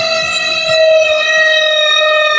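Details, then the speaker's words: Toshiba VH-J120MM semi-auto washing machine on spin cycle: loud, piercing, steady high squeal over the whole spin, pitch nearly constant; back cover opened next to find cause. "Ini kalau malam-malam jiran pun boleh jadi takut ni. Pontianak mengilai kan."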